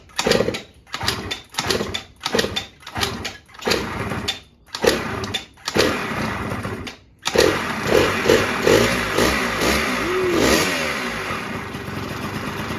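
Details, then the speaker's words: 1989 Yamaha Zuma 50cc two-stroke Prebug being built to 70cc, first start on direct fuel with the petcock removed: several failed pulls, then catches and holds a steady buzzing run without cutting out; normal running. "the end it runs"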